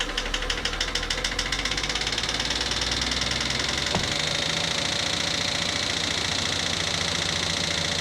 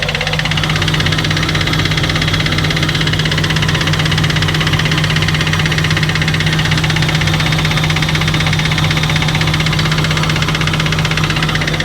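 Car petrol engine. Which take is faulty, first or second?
first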